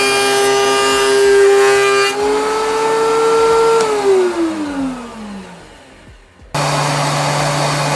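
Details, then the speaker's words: DeWalt 13-inch planer after installing a Grizzly spiral/helical cutterhead: smooth, even cutterhead hum with no chatter, easing down as the board clears, far quieter than before; the dust-blower motor is now the loudest sound; normal cut. "Probably gonna cut in some side by side so you can hear it, but to my ear it sounds way quieter. The loudest thing now is the freaking motor blowing out all the dust out of there."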